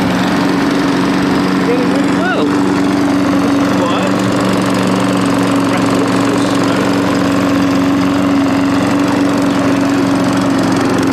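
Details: Old Mountfield push mower with entry-level Honda vertical-crankshaft engine, after clearing debris from carburettor float needle valve to stop leaking: steady even drone holding one pitch, no misses or surging; normal running.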